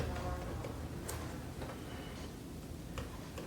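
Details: Macintosh LC (original) with its old power supply refitted: faint, uneven ticks a few times a second from the supply, with no fan or drive spinning up. The power supply is cycling and the machine won't boot.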